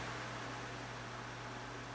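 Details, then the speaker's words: Cool~Breeze CA-126K 12-inch oscillating fan: a steady, even whir with a constant low hum and no wobble or rhythmic beat; the capacitor seems fine and the fan is in near-perfect balance. "That cap seems to be fine. Actually in very good balance. Almost perfect."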